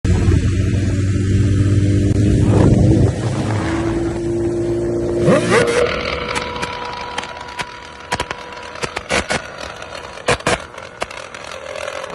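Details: Motorcycle revving then decelerating with irregular sharp exhaust cracks and pops, two or three a second; described as misfire.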